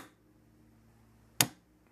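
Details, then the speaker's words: OpenSprinkler Bee Shield on an Arduino, running a test program that opens and closes each of four battery-operated sprinkler valves in turn: one sharp, crisp click as a valve switches in a quiet room; normal valve operation. "so you can hear uh from the clicking sound that the valves are being opened or closed"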